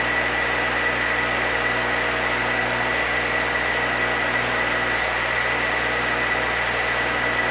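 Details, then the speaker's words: 1966 Chevrolet C20, rebuilt Chevy 292 six, ring break-in: steady, even fast idle near 2,000 rpm held smooth; no knocks or ticks, oil pressure held, no overheating. Normal running at 2,000 rpm. "Just crank down and see if I can get about 2,000 RPM out of it. And then I'll let that go for 20 minutes or so."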